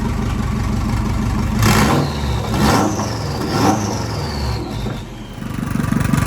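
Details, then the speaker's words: JDM EJ20 turbocharged WRX kit car swap engine, oil to be flushed several times: revs up and settles with a rising and falling turbo whistle over an even exhaust note, no knocks, no smoke now, running well. "right now there's no smoke blowing out of it everything seems to be working pretty good"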